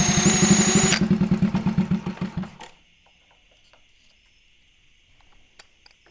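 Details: 1964 Honda Super Cub CA102 after full top-end rebuild: small single pops along evenly at about four beats a second, then is shut off and dies away cleanly; running fine.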